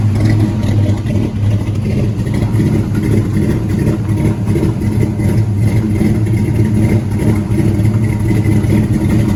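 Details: LS-swapped C10 pickup, 6.0 with cam, after new injectors, heard from behind the truck with door up: deep, steady V8 rumble, even smooth beat, no misses or knocks; healthy settled idle.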